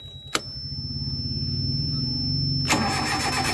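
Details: Suzuki APV crank-no-start after park lights switched off; a click, then starter churns evenly about 3.5 times a second without catching; relay's blue-wire supply cuts out during cranking, fix is rewiring to a green-wire supply.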